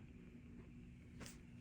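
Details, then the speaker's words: 1965 Fender Deluxe Reverb tube amp, fully warmed up, at full volume after repair with microphonic 12AX7s in V1/V2 noted: only a faint steady low hum, soft hiss and one click, no crackle or buzz. A very quiet noise floor. "so no noise this is one of the quietest Deluxe reverbs of any"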